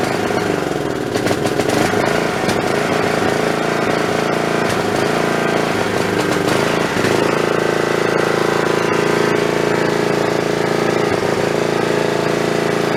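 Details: Snapper 3081 riding mower that died suddenly mid-mow, fitted with a known-good plug from a snowblower: small single running rough, beat stumbling and surging, misfiring and backfiring. Owner suspects the magneto/coil. Rough running.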